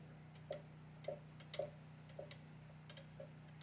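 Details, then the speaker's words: Ford 289 V8 that had no oil pressure after sitting since April, oil pump turned by hand with the sending unit out: sharp uneven clicks about twice a second, like something has come apart or is caught inside the pump; cause suspected. "you could hear it hitting something like it's come apart or something's in"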